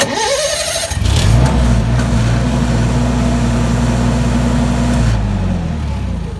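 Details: Generac Guardian generator that would not start, after replacing the faulty governor driver (throttle stepper motor control): quick crank, then the engine catches and settles into a steady, even run with a smooth hum, a normal start.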